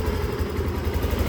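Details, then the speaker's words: Yamaha All New NMAX that had stalled with no spark, after checking ignition and refitting the plug cap: it starts and idles with a low, even putter, no misses or knocks. The engine warning light still needs resetting. "E, motornya hidup ya. E, motornya hidup."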